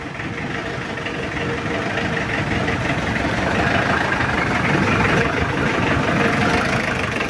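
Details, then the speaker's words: Mitsubishi L200 diesel just started: hard cranking, raw whitish smoke mixed with oil, uneven stumbling idle; nozzles suspected bad, glow-plug button broken, engine runs hot; low compression from worn piston rings. "Sibak staternya juga berat Nah itu asapnya dan suaranya juga pincang"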